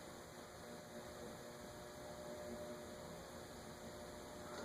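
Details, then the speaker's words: Wing TAT 48-inch ceiling fan on a solid-state control at very low speed, about 0.1. A faint steady buzz sits under a soft airy hiss from bad bearings that catch; it needs new bearings. "I swear I'm hearing a buzz."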